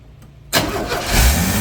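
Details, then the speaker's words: 1981 Chevrolet C10 V8 revived after sitting: catches and immediately climbs to high rising revs instead of settling; throttle stuck open because return spring was not hooked up. "well that sounds good guys but I don't know why the is the throttle stuck oh yeah oh yeah that's what the problem is you know why that idiot didn't hook the the return spring up"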